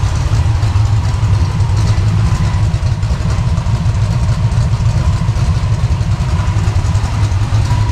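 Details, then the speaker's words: Small-block Chevy 305 on a test stand, first fire-up and cam break-in, Summit 1107 cam, Edelbrock Performer intake, headers with mufflers, 750cfm Holley, tuned to about 750–800 rpm idle: deep, slightly uneven loping rumble, no ticks or knocks; healthy. "Got it idle down to around 800 or 750, 800 RPM. Doesn't sound too awful bad."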